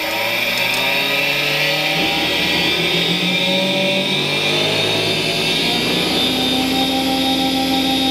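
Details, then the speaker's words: Charnwood W824P midi lathe after replacing its faulty control module (motor had slowed below 300 rpm and died), turned up to max; whine climbs in steps to steady high pitch, slight fluctuation, holds revs; normal motor running at full speed. "all right we seem to be fluctuating a little bit but nothing too bad it's holding its revs or below so that's the bonus"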